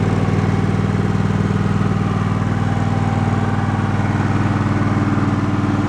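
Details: Twin-cylinder engine put back together and run about 20 minutes, first at fast rpm then lower: steady even low chug about two beats a second, no knocks or misses; running normally.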